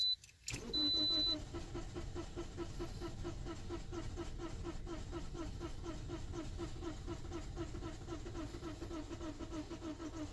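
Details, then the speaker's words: 2009 Toyota Corolla 1.8, originally long crank on hot restart, now cranks but never starts; another shop declared the engine done, no codes; steady quick cranking for about ten seconds without firing; crank no start, cause not yet confirmed. "well, we can see it doesn't start with duplicated customer concern."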